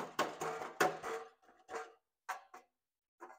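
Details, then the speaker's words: Land Rover Ingenium engine, pre-timing-chain-repair health check: exhaust struck by hand gives tinny metallic clanks that ring and buzz briefly, a loose heat shield rattle also heard at startup. "Rattling. Rattling heat shield. Something is rattling in there anyway. That's one of the rattles that you can hear."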